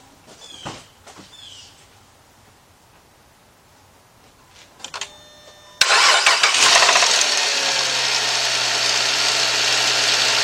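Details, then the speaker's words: 2.7L engine in a Chrysler/Dodge (300, Sebring, Avenger, Charger 2008–2010) at start-up: a loud bright metallic rattle through idle, louder as the idle drops. It seems to come from the timing cover; timing chain tensioner suspected. "Well, it's rattling now, guys, and probably when the idle goes down, you can hear it more. And guys, it sounds like it's coming from the front half, the timing cover."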